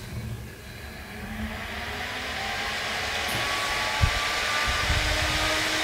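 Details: Corsair VS650 power supply fan (12 V 0.3 A) after being oiled, bench-powered up to 12 V full speed: smooth airy whoosh climbing as it spins up, no ticking or grinding; repaired and quiet.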